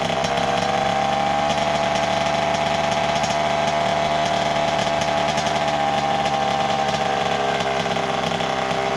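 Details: 1988 Kawasaki KX80 two-stroke, first start in 15 years after a new piston; earlier flooded. High, buzzy note holding even revs throughout without stumbling or cutting out: running normally.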